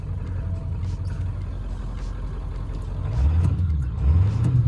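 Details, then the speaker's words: Ford F-250 7.3L Powerstroke diesel, cooling system and oil cooler about 400 miles new, slight miss at speed, oil and coolant mixing: deep idle rumbles unevenly with lumpy surges after backing uphill; rough idle, owner hopes fuel starvation, low first tank possible. "Idling a little, not that great. I'm hoping that was just a little fuel starvation for me backing it up the hill. So let's get out of here before it cuts out. Still has a little bit funky idle."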